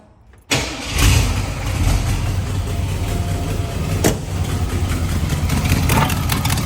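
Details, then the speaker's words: 1982 Ford Bronco 351W V8 cranks, catches and idles roughly with a coarse, chuffing rasp; exhaust manifold leak from missing header bolts, before the fix. "So, the last time I drove the truck, it was sounded pretty rough. Give youall an idea of what it sounds like."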